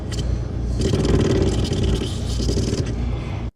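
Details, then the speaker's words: GE side-by-side refrigerator model GSE25GGHECBB: loud coarse rattling buzz while the dispenser is held, no water or ice; likely a faulty water filter housing if a new filter doesn't cure it. "the complaint that we have is that it's not getting any water or ice and if it's making this noise"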